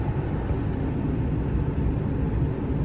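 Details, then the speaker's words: Nissan Xterra with a flashing AC light and no blower, after the fix: blower on speed 1 gives a steady, even rush of air with a low hum and no rattles or surging; it did not blow on 1 before; normal blower operation. "And as you can hear, it's blowing on 1 before it wasn't doing that."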